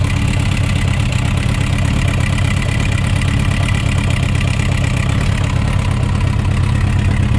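Deep, loud idle with an uneven rapping running through it, roughly a few beats a second; knock present, source not yet pinned down.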